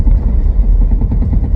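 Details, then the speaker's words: 2000 Chevy S10, first crank after battery hookup and oil change, service engine and low fuel lights on: low, lumpy idle dropping beats, shaking as a cylinder misses; plugs later looked poor. Misfire, rough idle. "oh oh you hear that holy [ __ ] it runs a bit rough oh it's a bit rough"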